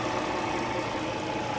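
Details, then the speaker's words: 2008 Dodge Charger, originally a crank-no-start, after replacing a leaking water pump and refilling coolant, warmed to normal temperature: a steady, even idle with no knocks, running smooth. "filled with coolant and it's been running for a while cool attempt normal she idles good and she sounds good"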